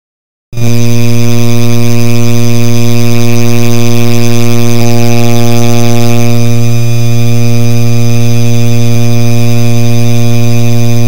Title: Noisy Rusted Ceiling Fan